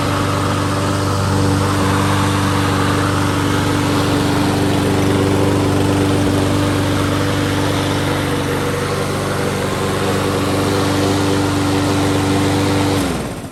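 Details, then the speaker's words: Troy-Bilt TB200 mower with a plastic Briggs & Stratton carburetor, after jets were widened, stale gas replaced and oil checked. It holds a steady, even pitch without surging, then shuts off cleanly; ran fine for 15 minutes. "so i just washed it off let it run for about 15 minutes runs good no real issues he'll be happy"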